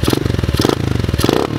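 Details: Polini 110 pit bike, free junkyard find, cold engine given single revs up and back down: crisp, even firing, no knock or rattle; sounds healthy.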